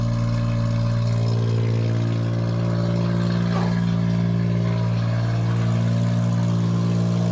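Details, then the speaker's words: 1993 Geo Metro after a fuel pump replacement and priming: cranks on the second try, catches and settles into a steady, even idle while warming up with no knocks or misses. "Clutch is in. Let's start it up. Okay, 1 and 2. Go again. And there she blows."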